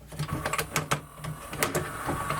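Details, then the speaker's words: Sony MDP-333 LaserDisc player powered up with tray moved manually: steady motor whirr with repeated clicking about every quarter second while the mechanism doesn't travel; cause unknown. "yeah I it doing something it's just not going anywhere just try to understand what kind of motor was doing this"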